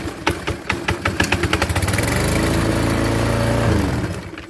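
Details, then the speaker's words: Husqvarna commercial mower that wouldn't start, after adjusting bail cable movement (recurring belt problem): a few pulls, catches and settles into a steady putter, then shuts off cleanly; starts and stops correctly. "okay so now we've given it enough that it starts and stops correctly"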